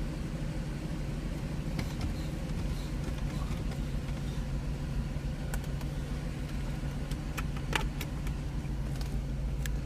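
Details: Mercedes R129 with an intermittent no-crank/no-start and SRS light on finally starts after pressing the brake pedal; quiet, smooth low idle holds steady with a few light clicks, running normally.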